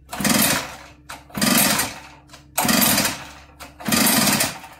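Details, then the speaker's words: Echo PB8010 backpack blower that quit running, spark and fuel verified, choke on: four rough pull-start bursts with a harsh clattering mechanical clank, engine never catches; mechanical clank while cranking, no start. "sounds like a mechanical clank doesn't it i'll give it a little bit more gas choke it one more time see what happens"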